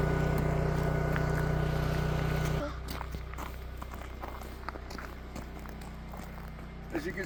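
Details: Generator on its weekly Monday exercise run, likely under load: even low drone with a steady hum and no stutter, sputter or surging; running smoothly, normal.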